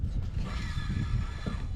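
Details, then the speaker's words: Used, long-sitting Predator 420 engine pulled over by its recoil starter: a short pull gives firm, chunky low thumps as the piston comes over. Apparently good compression. "you can hear it has compression. So I don't know, I'm excited."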